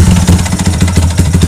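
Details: Yamaha Y15 motorcycle with a rough, lumpy idle: a regular knocking pulse over a deep exhaust beat that goes away when the throttle is opened; owner suspects something on the left side is broken, open or disconnected.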